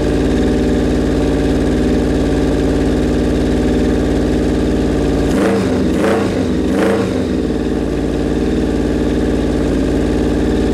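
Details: Suzuki Bandit 1200 inline-four at its first start after a rebuild, idling fast on choke: a steady but uneven beat with a brief stumble midway. The owner suspects the carbs are out of whack and unsynced.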